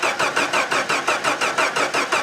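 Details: 1991–95 Jeep Wrangler YJ, crank with no check engine light: steady starter cranking at about five pulses per second, but the engine never fires; bad ECM capacitors are suspected as the common cause, not confirmed.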